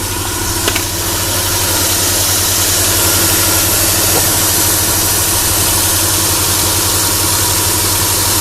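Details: Chrysler Sebring still running after a 3-tooth valve timing jump caused by broken plastic from the timing cover; steady even idle with constant low hum and faint light tick while warming up; owner says compression should be good and notes an oil leak; normal idle.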